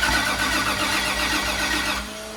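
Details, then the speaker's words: Eddie's Nissan 240SX being started after fuel priming; starter turns over slowly and labours unevenly for about two seconds, battery weak at about 11 volts, though someone suspects the starter itself. "battery's pretty weak huh"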